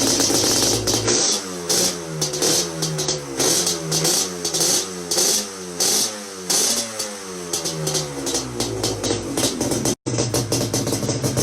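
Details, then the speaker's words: Yamaha Banshee two-stroke that wouldn't start, after cleaning carbs, bumping pilot jet a size and cleaning out the reeds; owner suspects old failed gaskets: crisp buzz climbing and dropping through throttle blips, clean pickup, no bogging; now runs normally. "the banshee is running it started right up after i went into the reeds and kind of cleaned them out like i said"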